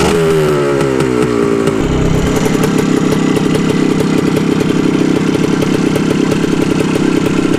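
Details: 1974 Honda MT250 Elsinore two-stroke on its first start after a full restoration, restarted after running out of gas and switching to reserve: a crisp, steady ring-ding buzz after a throttle blip, firing cleanly. Normal.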